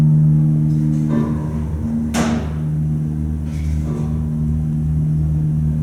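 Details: Telescoping holeless hydraulic elevator at a Harris Teeter store, heard from inside the car going up: steady low pump motor hum with a few thumps from the car, even throughout; normal hydraulic pump motor run.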